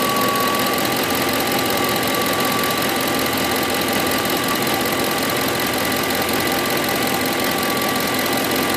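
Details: 2008 Ford F150 5.4 V8 at idle: fast, even metallic ticking keeping pace with the engine, started about a week ago; cause unknown.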